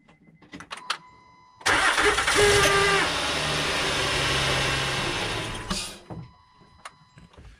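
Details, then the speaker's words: 2006-2014 Honda Ridgeline power steering with an all-new system including a new pump, cold start at about 18 degrees. A brief thin whine rises and fades within a split second as cold fluid takes a moment to reach the pump. The owner calls this normal but a bad design. "Like I said, there's nothing you can really do about that. Everything on this system is new, so that's just, unfortunately, when it's cold, it takes the fluid a second to get in there."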